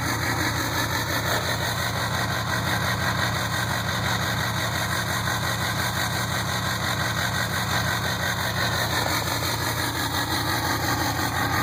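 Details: 2007 Ford 6.0 Powerstroke diesel with one injector not working and six more bad: uneven, lumpy idle beat of about three per second with a shaky clatter; rough idle from failed injectors.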